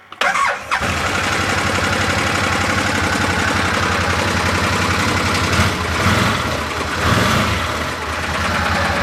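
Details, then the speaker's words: Arctic Cat Prowler XTZ UTV after wet clutch replacement, engine running in neutral on blocks; busy rattly run because primary CVT clutch not seated on shaft, damaged spline ends prevented it threading on. "I don't think I like that this uh shaft and it wasn't going on apparently because the ends of these splines were just a little messed up and so this this internal part of the primary clutch wasn't threading over the end of the spline"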